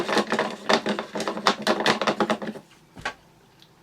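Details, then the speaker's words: Hoover Turbomaster U5078 vintage vacuum, unused for decades, fan turned slowly by hand before first power-up: irregular scraping clatter in uneven bursts, then silence; grinding suggests a damaged fan catching, suspected but not confirmed. "the sound of damage so it looks like we are actually in this video going to take those who else because a staff an shouldn't sound like that"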